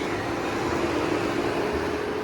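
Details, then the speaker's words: 2012 Nissan Murano after radiator replacement and coolant refill, engine running: steady whooshing airflow with a faint constant mid-pitch hum, no rattles or scraping; radiator cooling fan running normally. "she's running fine I mean fans going I can hear"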